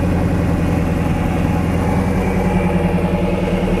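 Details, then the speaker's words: 1999 Lotus Esprit V8 with no spark on two cylinders, after swapping coil drivers; uneven lumpy idle with repeating stumble, running on six cylinders; swap didn't fix it, fault later traced to ECU coil outputs and repaired. "seems to run okay now oh i can hear it i hear it missing there we go all right so now we're on a cylinder that had no spark before"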